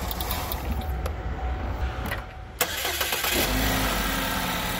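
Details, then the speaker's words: 2016 Chevrolet Equinox, 124k miles, setting P0172 rich code: after the key-off click the direct-injected engine keeps chugging and sputtering instead of stopping; run-on traced to a leaking high-pressure fuel pump adding fuel that carbon hotspots ignite. "I'm going to turn it off hopefully you can hear it was sputter and it keeps on running"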